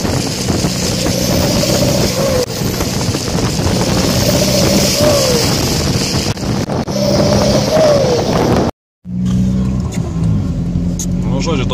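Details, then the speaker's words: Seat Toledo 1.9 TDI diesel with a badly holed exhaust pipe: loud raspy exhaust rising and falling with throttle, pop on lift-off; exhaust leak, owner plans to weld the pipe. "su prakiūrius dūle žiūriu mano siatas įgavo tokių sportinių garsų nežinau kažkaip reikia pamėgint parodyt žodžiu spaudi gazą ir kai atleidi toks poovą kaip suveikimas"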